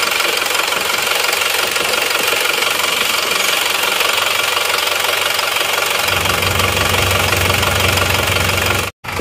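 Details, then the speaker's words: Isuzu Panther LS diesel after fourth engine rebuild in 7 months, still fitted with oversized RH13 injection pump rotor head; loud hard uneven clatter at idle, about two knocks a second, racing-type smoke; rough idle knock. "hidupnya mesinnya masih pakai rh13 suaranya seperti ini nanti akan kita bandingkan dengan yang bospom yang standarnya ya"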